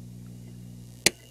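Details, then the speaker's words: Budget tube preamp kit idling with no signal, feeding a class D amplifier: steady raspy buzzy hum at mid volume, then a click; power-supply hum at other settings, suspected supply noise coupling onto the inputs, not confirmed. "at mid volume you get that raspy buzzy hum at other settings you kind of get a power supply hum so probably uh coupling power supply noise over on the inputs or something"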